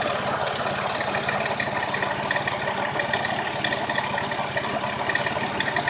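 A busy idle with an extra light rattling tick over the engine hum; there is a noise, but its source isn't clear.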